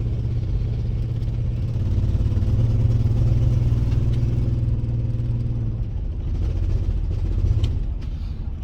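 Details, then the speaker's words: $300 auction car on test drive with check engine light on and weak battery: low uneven drone under light throttle with choppy stumbling pulse; rough running, owner suspects misfire or exhaust leak, unconfirmed. "Kind of sound like the exhaust. Kind of sounds like the exhaust. But it might just be the misfire though."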